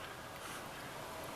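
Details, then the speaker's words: Turntable-to-Windows PC recording line after unplugging the external phono preamp/ground loop isolator chain: only a faint steady hiss, no low buzz or hum; ground noise gone. "no more ground noise so you know took a while to find everything"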